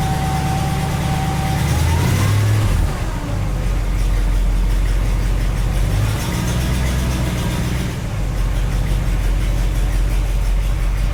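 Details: 1967 Cadillac DeVille with 429 V8 at cold start: deep rumble with a faint whistling tone that climbs with revs; new, unidentified noise that seems to go away once warm.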